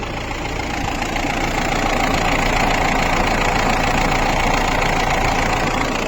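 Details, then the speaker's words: Mahindra Bolero diesel idling with an even steady clatter of about three to four beats per second and no odd knocks, turbo in good condition; normal idle. "बिल्कुल normal sound है engine का"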